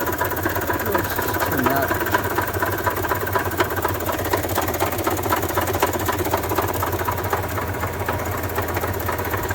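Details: 1993 Toyota Tercel on a lift, first start of its revival with the mic focused on the engine: heavy, rapid knocking at about four per second over a rough idle, and it won't accelerate. The owner suspects rod knock; the cause is unconfirmed.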